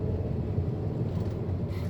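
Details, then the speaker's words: 2008 Volkswagen Passat with whooming noise while driving, after hub bearing replacement: test drive above 60 km/h now quiet, smooth low road rumble with no hum, growl or whine from the wheels. "제대 차는 조용하네 이거 너무 싶었는데 지금 조용하네요"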